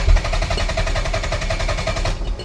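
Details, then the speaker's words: Towed-in no-start Toyota MR2 with a non-VTEC JDM engine, fuel possibly bad: quick, even cranking chatter of about ten beats a second cuts off with a brief metallic rattle when cranking stops; source unclear. "what's that noise there's like something like rattling when it turns off you hear that again"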